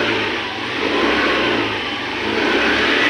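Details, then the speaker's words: Hero Pleasure Plus BS6 scooter after injector cleaning for a misfire/jerking at 30–40 km/h: engine revs smoothly and steadily with no stumbles or misses; problem solved, normal running. "इसलिए आप देखें। यह चिकना है। शुरू करना . Sound quality भी अच्छी है। बहुत अच्छा।"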